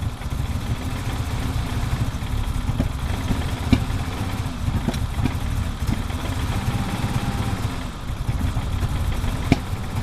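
Cold idle runs lumpy and uneven, low thumping with irregular stumbles and skipped beats; a cold misfire, cause not yet pinned down.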